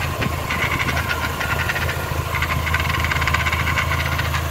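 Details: 2004 Mini Cooper 2.0 four-cylinder manual that jumps out of third gear: uneven light rattling over a steady idle hum, fast irregular chatter seeming to come from the gearbox at idle; transmission noise, shifter cables also suspected.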